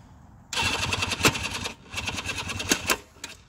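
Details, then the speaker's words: 1973 Suzuki GT550 two-stroke electric start: two short cranking bursts that kick out and freewheel without catching; starter clutch slipping, battery also weak; kickstarter works, replacement starter clutch needed. "you can hear it kind of kicks out and sounds like my battery's a little on the weak side too so yeah that's what it does sometimes it'll kick out on you"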